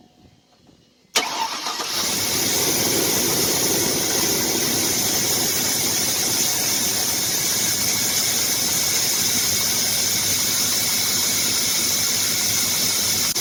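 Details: 2000 Chevrolet Silverado that had been hesitating and overheated, started right after a badly worn failed spark plug was replaced. It catches after a short crank, then settles into a slightly uneven, hissy idle; the cause is not confirmed.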